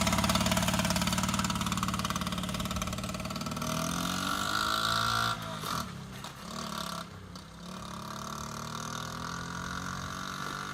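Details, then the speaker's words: 1983 Honda Z50R pit bike, mostly original with new gas tank and petcock, warming on choke after a cold start; single cylinder putters steadily around three beats a second, pitch easing; normal idle warming on choke. "Let it warm up for a minute on choke."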